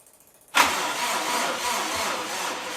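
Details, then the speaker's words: Freshly rebuilt Subaru engine on spare EJ207 block, first start, cranking in short bursts to build oil pressure: starter drags sluggishly with no firing, sounding tired; weak battery, later charged and jumped. "That does not sound like a healthy battery."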